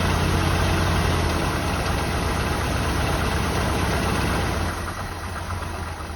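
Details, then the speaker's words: 1984 Jeep Wagoneer, just revived, low idle after choke fast idle drops off: lumpy idle with a light tapping about four times a second; unidentified noise, source unknown. "it seem like it's making noise well there's something making noise I can't tell what it is"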